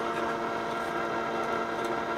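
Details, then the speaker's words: Panasonic RX-5031 cassette radio, unboxed: an even steady motor whir of constant pitch with no wobble or grinding as the tape rewinds normally. "wine is working let's stop it fast-forward that's roaring along with terrific force"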